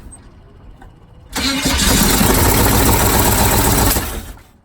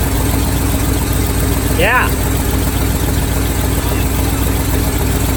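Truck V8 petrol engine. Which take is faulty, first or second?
first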